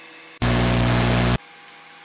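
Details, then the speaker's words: Loud steady droning hum with a buzzy rattle as a CD spins in a plug-in optical drive used for iTunes CD importing; the drive has a vibration problem that makes the computer rattle. "which means the computer is going to rattle quite a bit because this Drive has a vibration problem as you can probably hear from the different noise it's making"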